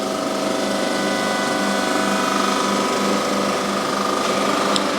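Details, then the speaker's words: Surface grinding cylinder head: steady grinding hiss with high ringing and fast even ticking as stones pass steel pre-chamber inserts; normal cut. "the moment you can hear that cutting you can see the swarf coming off at the back there so that is cutting quite nicely you can hear it now going over the pre-com chambers"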